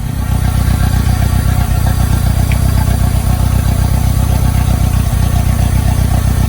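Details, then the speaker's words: 1990 Mitsubishi Mighty Max on old spark plugs before Seafoam and tune-up: choppy idle with an uneven, skipping beat and occasional dropped exhaust pulses, a cylinder misfire suspected from bad spark plugs. "So here we go. Got a nice choppy idle."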